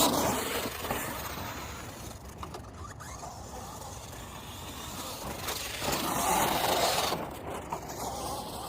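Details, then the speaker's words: Hobao Hyper MT Sport Plus RC truck: motor whir with a rough, gritty grind rising and falling as it drives, from a chipped but not fully broken pinion and spur gear that are starting to wear. "think at this point you could tell that my opinion and spur sound kind of funny your hair is grinding a little bit because it's not completely like broken off chipped off"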